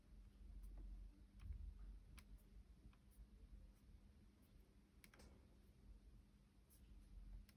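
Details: Two-day-old MacBook Pro 14-inch 2021: sparse sharp clicks and faint creaks when the palm rest is pressed or touched, cause unknown.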